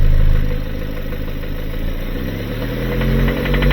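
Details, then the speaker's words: 2018 Kia Sorento just over 100,000 miles, smoking and knocking: a rough, uneven idle with a dull low knock about four times a second. Piston ring blow-by and internal failure; the engine is blown. "So, you have what's called blow-by. >> Okay. >> And it's uh on your rings."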